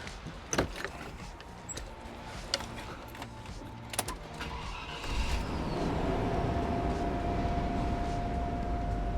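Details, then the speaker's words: 1996 Land Rover Discovery 1, 4.0 V8, after mechanical work including valve cover gaskets to stop oil leaks: starts and holds a smooth, even idle with no ticking or misfire. Normal idle. "Super smooth, running 4-liter D1. Yeah, you know, it's just back to normal, right?"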